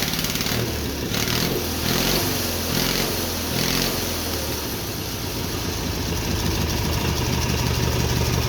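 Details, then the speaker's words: Twin-cylinder Briggs & Stratton engine on a mini bike, first start after quick carburetor rebuild and new black steel pipe exhaust, suspected low compression from hard cranking: brisk clean throttle blips then a steady even idle; runs well. "not bad man it runs good I can't believe how good that runs honestly"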